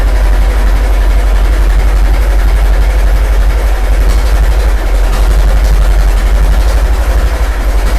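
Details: Restored 1921 American LaFrance fire engine after its finished restoration: deep, slow, even chuffing at a steady idle with no misses or knocks; the old four-cylinder runs smoothly.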